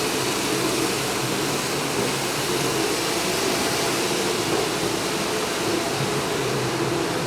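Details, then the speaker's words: Pool filter pump running during backwash: a smooth, constant rushing hum with no knocks, rattles or surging; the pump runs normally. "Now we're going to turn on the filter pump. That bad boy do it job."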